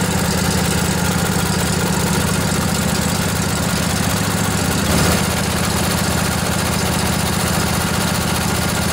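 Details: Revived junkyard Briggs & Stratton Intek OHV twin, 20–22 hp, model 40777, in a Husqvarna riding mower, with a new carburetor: steady, even chug holding constant speed with no misses or knocks; idles healthily.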